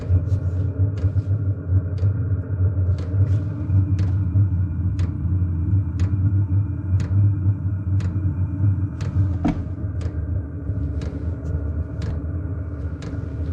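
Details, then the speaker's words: Cheap Chinese diesel heater just installed in a 2006 Nissan Frontier, first startup: low steady combustion rumble with the dosing pump ticking about once a second; burner lit, glow plug still on before the fan speeds up, normal operation. "a few pumps on starting to put out some heat as soon as the gold plug gets hot enough the glow plug will shut off and fan should speed up"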